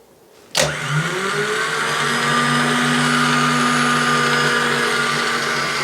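A sharp click, then an even whirring spin that climbs and holds a steady pitch: the starter engages and free-spins on the bench.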